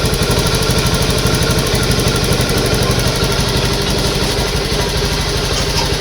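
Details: Honda Beat ESP injected scooter after replacing fuel pump, fuel filter and tank O-ring, running before reassembly: steady even single-cylinder idle with no misses or stumbles; normal idle after repair.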